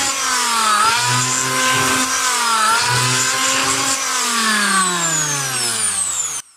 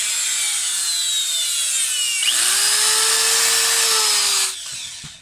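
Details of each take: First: Electric planer after repair, belt reconnected: clean even hum rising and falling with speed, no crackle from brushes; sparking gone, ready to use again. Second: Electric planer with belt removed, owner already replaced carbon brushes yet armature still sparked: motor spins up with high whine and faint crackle, then winds down; commutator sparking reduced, carbon brushes worn/not smooth, needs maintenance.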